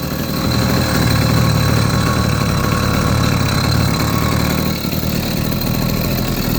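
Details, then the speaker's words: 80cc two-stroke motorized beach cruiser bicycle on a ride sound test, before a performance carburetor was fitted; raspy drone with uneven, wavering beat and a sag, running rough and lacking power band. Cause undetermined. "I cannot figure out what's going on with this damn thing. I don't know. To me, it doesn't sound right."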